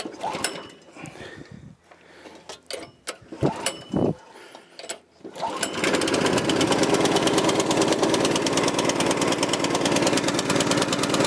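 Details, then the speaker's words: Troy-Bilt tiller repowered with a 6.5 HP 212cc Predator engine, no-start traced to a bad spark plug giving no spark; after replacing the plug it catches and settles into a steady, even firing rhythm with no misses; normal running. "So, it was just a bad spark plug. Too bad spark plugs. Sounds like it's running fine."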